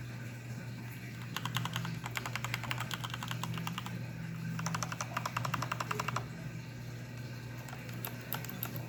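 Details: Corsair K65 keyboard with Cherry MX Red linear switches: fast typing gives sharp, loud clicks on each keystroke, far too clicky for these switches. Other keys are fine; cause unknown.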